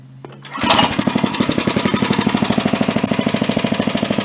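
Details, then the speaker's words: Craftsman tiller with a small single-cylinder engine, after cleaning the air filter and resetting the carburetor screw about 1.5 turns out: it catches and settles into a quick, even idle with no cycling or surging; normal idle. "that's at idle now. It doesn't cycle or surge. It runs much smoother."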